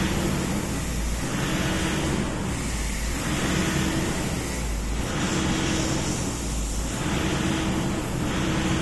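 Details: Toyota Innova diesel that sometimes stalls suddenly, during a fuel system leak test: idle swells and sags every couple of seconds; unstable idle caused by a fuel system problem.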